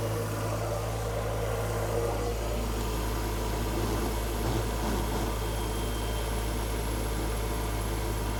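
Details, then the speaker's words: Ford Focus ST after a complete engine rebuild for bearing damage, second start after tightening a fitting at the back of the engine bay: steady low idle drone, no knocks, misses or rattles; running nicely, smoke from oil spilled on the block. "Running nicely."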